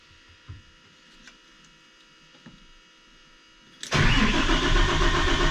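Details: Freshly rebuilt diesel starting after the fuel system was primed and bled at the filter head and a new oil filter was pre-filled. Quiet priming, then it fires at once and settles into a steady, even clatter: a clean, healthy start.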